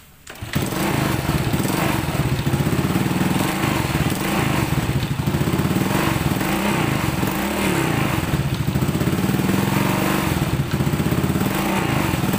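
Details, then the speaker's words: Old Honda Supra X single-cylinder motorcycle: revs up with a coarse, chattering rough note that never smooths out; rough running, cause not yet found. "Oke seperti yang kita dengarkan tadi suara Honda Supra X lama ini suaranya kasar"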